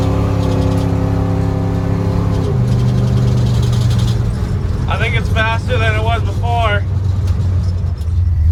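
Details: 1977 Dodge D200 360 V8 with new intake and rebuilt carb, no kickdown linkage, water neck leaking coolant; on a test drive the rumble revs up, drops sharply and settles into an even pull with no stumble or backfire: healthy throttle response.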